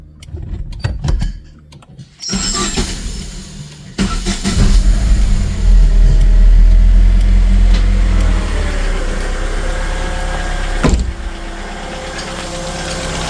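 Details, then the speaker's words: Chevrolet Lacetti after water pump and belt replacement and antifreeze refill: engine cranks, catches quickly, briefly revs, then settles into a smooth, even idle; earlier knocking gone. Normal idle. "Ovozlar jim bo'ldi. Nima deyapti usta bu? Ovozlar yo'qoldimi?"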